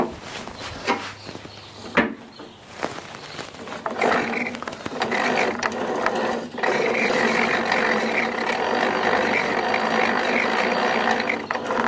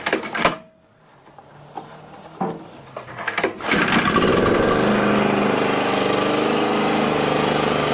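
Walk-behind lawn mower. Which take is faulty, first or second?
first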